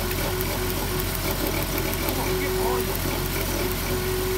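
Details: 2007 Dodge Grand Caravan: uneven rough idle with a faint sharp snapping tick; misfire from a damaged plug wire boot arcing to the block; fix is replacing the plug wires.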